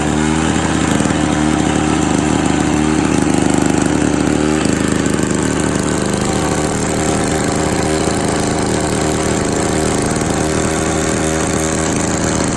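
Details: Victa 18 classic two-stroke lawn mower, primed, throttle set about halfway, fuel tap leaking: starts on the second pull and holds a loud, busy, steady buzz at even speed. Normal two-stroke running.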